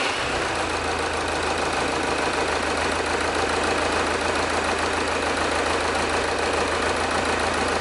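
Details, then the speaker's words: Diesel engine idling, pressure sensor in the tailpipe, one injector deliberately unplugged to create a misfire: a rough, uneven beat with a dip in the clatter every cycle; one cylinder is dead, causing a large waveform anomaly. "as you can see a massive difference in the waveform when we have a misfire"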